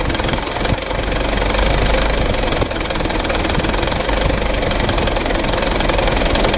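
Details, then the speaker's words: New 2021/22 Canter 136 PS HDL diesel truck: lumpy, uneven idle with irregular knock that cannot hold 600 rpm. Nozzles, then valves, are suspected and need checking. "Jadi kalau kita buat jarum RPM-nya 600, itu tidak bisa. Menurut saya teman-teman ya, untuk kerusakannya kali ini kita perlu pengecekan dari nozzle-nya terlebih dahulu, nozzle lalu valve-nya."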